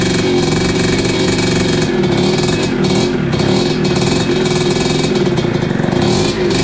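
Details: 1986 Tecate 3 two-stroke, freshly rebuilt with new bore, piston and crank, heat-cycling: loud fast buzz with slightly uneven revs on timing advanced from the marks, a little rough but holding; 500 carb not ideal.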